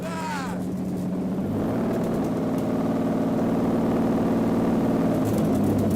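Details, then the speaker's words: Mercedes V12 swapped into a Lambo replica, running on four ECUs, at its first start: a loud, steady, even engine roar with a few crisp exhaust pops and flames near the end. It runs smoothly and sounds normal. "are you hearing this now it sounds like an actual lambo [Music] it's shooting flames and popping"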